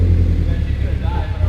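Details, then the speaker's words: Scion FR-S on the first start after a turbo kit, still on the stock tune before its new fuel system was installed; a deep, lumpy rumble that surges unevenly when blipped, not revving cleanly. An exhaust leak was suspected, but none was found. "the way she's running now that's all i needed she ain't happy at all no definitely not she's like what's all this new air from this tripski doing to me"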